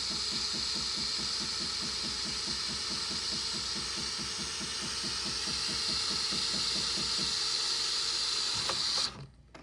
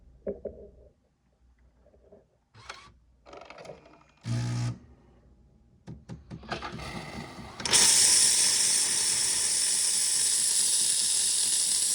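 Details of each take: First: Jura Z6 after replacing the worn milk foam nozzle, milk foam function set to 14 seconds: steady airy hiss over an even, rapid pump pulse, then a clean cut-off, giving perfect thick foam instead of sputtering. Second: Jura Z6 making milk foam with hose in milk container: clicks and brief pump buzz, then harsh steady steam hiss with no milk drawn; sputtering, possibly from milk foam nozzle behind the spout worn with age.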